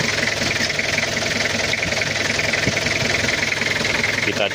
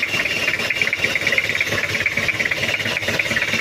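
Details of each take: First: 1997 Toyota Kijang diesel after cylinder head rework for head gasket leak and oil in coolant, timing still not perfectly set: steady idle with a soft, even clatter, no harsh knock or misfire; sounds smooth and healthy. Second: 1997 Toyota Kijang diesel with head gasket seep and oil in coolant: idles low and uneven, beat wavering about twice a second with lumpy clatter and heavy vibration; mechanic suspects loose timing, a dirty diesel filter or air in the fuel.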